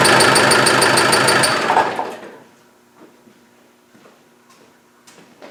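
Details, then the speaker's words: Land Rover 300Tdi diesel running with a sharp rapid high-pitched chirp, about four per second, still squeaking after spraying the belt and pulley; coolant drained; source still unknown, may not be the belt; engine chirp. "well this is odd it still squeaks I put some Crown Rust Proof in on the belt and the pulley and it still squeaks"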